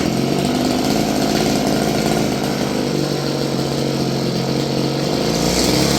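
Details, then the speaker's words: Roughly 30-year-old Stihl FS56 curved-shaft two-stroke string trimmer, restarted after the choke killed it: steady, slightly uneven buzz holding a constant low speed with no surging; normal idle. "We're back down to an idle."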